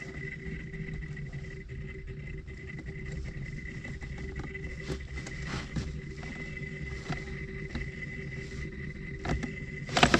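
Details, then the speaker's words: Fiat Qubo heater blower motor at full speed, heating fault: thin steady whine with crackly uneven scratchy rasp, changing when plug is wiggled; plug ruled out, owner suspects tired motor, swallowed object or bad bearing; worn brushes and commutator. "regarde on dirait que soit le moteur il est il est fatigué soit il tripode quelque chose tu [Musique] vois"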